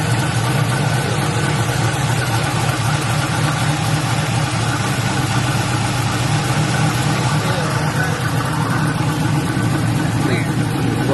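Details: LS-swapped Buick Regal, just after thermostat replacement, started with radiator cap off and no coolant yet to check for leaks: steady, even V8 idle with smooth low rumble, no misses, knocks or ticks; normal idle.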